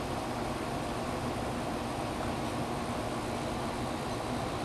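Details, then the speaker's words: Amana 1200 W room air conditioner (rated 10.5 A) after replacing an open tactile button switch, compressor kicked on and running at 7.2 A; steady even airflow rush with low hum, no rattles, clicks or surging: normal running. "and it just kicked up and it's running at 7.2 amps"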